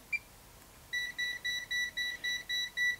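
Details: Insulation (high-pot) tester set to 1000 V: crisp high beeps about four per second in a quiet room, the tester's normal tone while the test runs.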